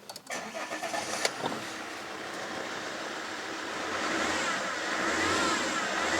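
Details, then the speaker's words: Alfa Romeo 159 2.4 JTDM five-cylinder turbo diesel, field find off road nearly five years after timing belt failure: catches after brief crank, revs smoothly and cleanly with no big smoke cloud, smoke reduced with use. Normal revving. "And I've I can sit here and I can rev it and you won't see a big cloud of smoke, which is exactly what we want to be seeing"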